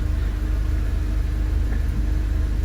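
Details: Audi TT with 229,000 miles after fixing air leaks and dyno runs, no fault codes returning: smooth, even low idle with a steady pulse and no hiss, misses or ticks. Normal idle.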